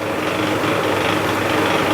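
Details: Mini oil mill (oil expeller) from New Gopal Machinery, switch-started and pressing mustard seed with water added. Smooth, steady mechanical whirr with a faint gear clatter and no surging or grinding. Normal running.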